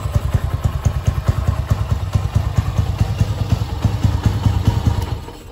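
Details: Motorcycle idling just after a new Bosch battery (12.3 V) was fitted: uneven, stumbling idle with irregular low thumps about two per second, sputtering and missing now and then. Owner suspects the old battery caused the brebet; cause unconfirmed, misfire persists.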